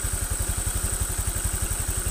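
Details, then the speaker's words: Honda Vario 125 FI scooter after full engine internals cleaning and part replacement: even, low putter of about ten firing pulses a second, no misses or knocks; engine now smooth, normal idle. "untuk mesin sudah halus tidak seperti kemarin"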